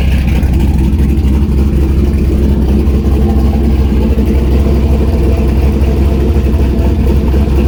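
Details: Turbo LS V8 Miata after exhaust heat wrapping and V-band joint realignment, not run too hot: deep heavy rumble at a steady even idle, no ticks, leaks or misses; healthy normal running, still sounds good.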